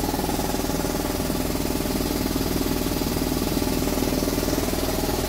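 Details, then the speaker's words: Air compressor after repair, running on original wiring, contact cleaner likely fixed contactor or relay: steady, even chugging at about four pulses a second, no knocks or stumbles; normal running. "it's alive it's very rare to have a situation when things are working but I don't know why it usually is that nothing is working and I don't know why but this time it is working but I still don't know why"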